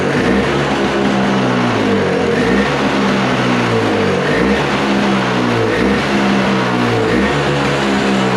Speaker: Oh, there it goes. I don't think I have that thingy in there set right for the uh um uh idle.